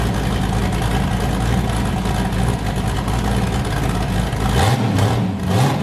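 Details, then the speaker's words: Boosted V8 with a new cam, just started after a repair; it had earlier made 23 psi, blown a coupler and sounded wrong. A heavy, choppy lope at idle with even pulses and a rev blip, running cleanly on all eight: a normal lopey cam idle. "man that new cam's chopping hard dude holy crap"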